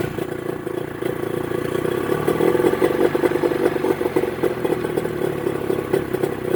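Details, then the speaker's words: Mercury 25 HP two-stroke outboard after installing Boyesen power reeds, in neutral, idle being adjusted via the cam: fairly even, settled idle with no stumbling or misfire; now running very well. "send me your reaction again running very good hey it works great now you're playing with the cam all right for the idol idol okay"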